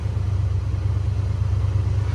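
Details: 1986 AMC Jeep Grand Wagoneer, carbureted with original starter and mechanical fuel pump, after warm-up with fast idle bypassed by a slight throttle press: steady even low rumble, no misses, knocks or hunting; normal warm idle.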